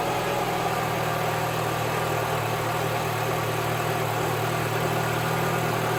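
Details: 2011 Mini Cooper after repair of a failed plastic coolant tube leaking at the back of the engine: fires and settles into a steady, even idle with a smooth low hum, no knocks or misses; runs healthy.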